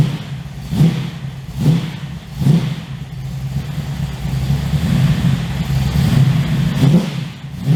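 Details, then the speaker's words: 355 stroker V8 in an HX One Tonner, restarted after 11 years unrun, Repco Engineering exhaust, recorded on a shotgun mic walking around: deep idle burble with sharp throttle blips about once a second, clean throaty growl, no knocks or ticks; healthy. "I'm really happy with that sound. It's loud, but it's not over the top obnoxious loud. It's got a nice growl to it."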